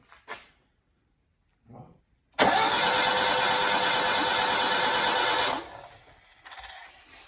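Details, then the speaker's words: Rebuilt engine with intake and exhaust manifolds just refitted, no fuel pump and distributor disconnected, cranked without firing for about three seconds until oil pressure builds; steady even cranking, then stops. "so what we'll do is we'll you'll hear it turn over and where when we stop turning over you know that it's got oil pressure"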